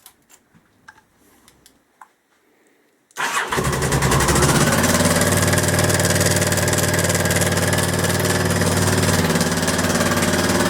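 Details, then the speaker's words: Honda XL1000 Varadero V-twin at idle: loud, fast metallic clatter on every beat; owner suspects the gearbox input shaft bearing at the sprocket or rear cylinder, gear changes fine. "so as you can hear that is one hell of a big rattle obviously my main question is going to be is it the actual where the sprocket is the main input shaft that goes into the gearbox"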